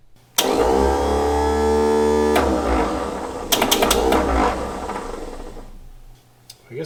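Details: 1960 Ford Ranch Wagon, OHV inline-6, column-shift 3-speed, sat in junkyard 39 years: starter whirs at steady high pitch about two seconds with no cranking beat, then winds down; bendix not engaging, starter pulled next.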